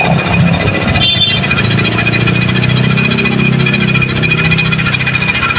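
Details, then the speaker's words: Yamaha NMAX (old model) scooter engine with a coarse, steady growl (ngorok) in all conditions; suspected causes are the transmission shaft bearing, crankshaft bearing or one-way starter clutch (one-way found normal); worn CVT-side bearing, fixable by opening the front cover without engine teardown. "ya ada beberapa faktor biasanya yang menyebabkan suara seperti ini ya itu dari bisa dari lahar TR AS e atau dari lahar ksap atau noen As ya atau dari e oneway starter"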